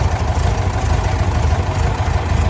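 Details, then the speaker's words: 1967 VW Beetle air-cooled flat-four, varnish-filled carburetor, long-sitting: deep, steady, slightly lumpy idle running on its own fuel system for the first time, fuel tank in spare tire well. Fuel looks clean and the exhaust no longer blows debris; normal idle. "So will she run? Absolutely she will. On her own fuel system now."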